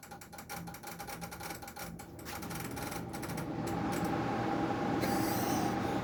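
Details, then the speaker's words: Discarded General Electric portable air conditioner under test: rapid ratcheting clicks, about four a second, over the unit's hum, fading into louder running while it seemed to cycle the compressor; loose condensate bucket suspected, cause unclear. "I think this thing is possessed. I don't know if that was the bucket or something. bucket was a bit loose."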